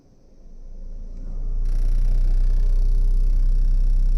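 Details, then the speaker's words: Car that vibrates when the AC is on, engine off, radiator cooling fan run via a scan tool actuation test: fan spins up into a deep pulsing drone with vibration, compressor, engine and mounts ruled out; vibrating radiator cooling fan. "Actuation test मार रहे हैं तो देखिए यहाँ पे vibration भी हो रहा है और ये आवाज़ भी हो रहा है।"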